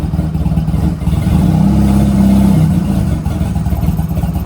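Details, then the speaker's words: Honda Rebel 250 on its first start after sitting about 27 years; with the choke pushed all the way down, the low idle surges briefly, then sags and fades until the engine stalls. "It's probably gonna shut off. And it shut off."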